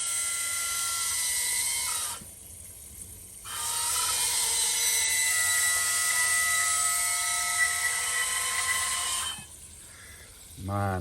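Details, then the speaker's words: Porsche 928 restoration, CIS fuel system test with fuel pump bridged: shrill steady buzz and hiss with a brief drop-out as injectors spray; two injectors leak even at idle with the plate closed, faulty fuel distributor needing rebuild. "have to turn the pump on and hear that one is leaking that one is leaking a little bit less but then if I go the Banshees start"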